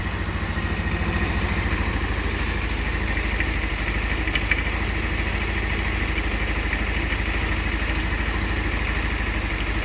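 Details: 150cc scooter, fully cold start after fitting a new carburetor to fix cold-weather hard starting: even putter about three beats a second, steady, no misses; healthy warm-up idle.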